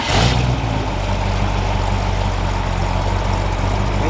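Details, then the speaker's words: 318-to-349 Chrysler stroker V8 at first fire-up on an engine stand, timing about 6–7° advance, idling around 620–750 rpm with the fans running. Deep, even burble with no knocks or misses. Normal idle. "Idling right now at about 620, 650, or 750, 720. Very good, strong, solid idle."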